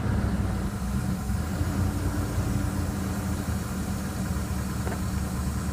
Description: This 2000 Grand Jeep Cherokee Laredo with a 4.7 engine at 175k had this tapping/knocking and rattling sound coming from the engine.